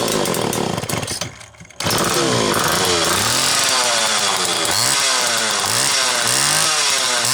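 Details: Homelite XL Automatic chainsaw after repair (fuel issue had forced full-choke running; new bar stud, oil system reprimed), cold morning, engine half warm; started in about six pulls; crisp high buzz swings smoothly up and down with throttle, never stumbling; high speed close enough; normal running.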